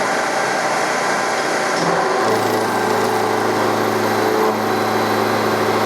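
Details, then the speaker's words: Milling machine with Coromill 300 cutter in aluminum, 1600 rpm spindle, 1600 mm/min feed, deep cut: steady motor whine drops to a deeper, strained hum under load; spindle motor overloaded near stall. "so I think this tool is actually pretty well sized for this machine but uh the motor also sounds like it won't take too much before it stalls"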